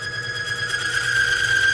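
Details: Falex lubricity test machine running oil as pressure is slowly applied: a steady high-pitched squeal holds and strengthens as load rises, the oil film breaking down between roller and block.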